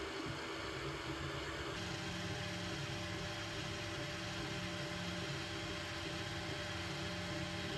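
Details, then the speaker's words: Anycubic Mega S 3D printer printing after the upgrade to Klipper firmware and TMC2209 stepper drivers on the TriGorilla board: a soft, steady whir with faint even motor tones, no clicking or grinding; amazingly quiet normal operation. "it's already amazingly quiet just listen to it"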